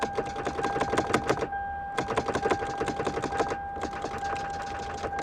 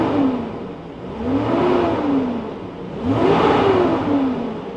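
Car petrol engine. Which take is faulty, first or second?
first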